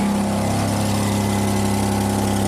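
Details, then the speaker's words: 2006 Hyundai Tucson 2.7 V6 AWD, 225k miles, idling after relay contact cleaning: steady idle with a fast, sharp puffing tick riding over the engine note from an exhaust leak at an open joint; one more flex pipe still to install. "Right here. I guess I got one more flex pipe to install, and this thing will be ready for the open road."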